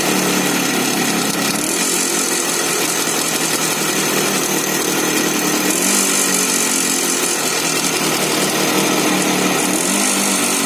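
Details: Izh Jupiter 5 two-stroke motorcycle just after start: buzzy running with an uneven rattling knock; engine knocking, source unknown.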